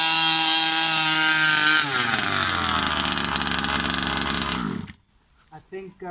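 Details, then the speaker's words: New Rovan 36cc double-ring two-stroke in a King Motor Baja 5B, first warm-up run: high buzz sags, stumbles unevenly and cuts out; misfire because the carb wasn't re-primed, so it isn't getting fuel. "Since the last time I started it, I didn't prime it again, so that's why I'm getting that misfire. It's not getting fuel."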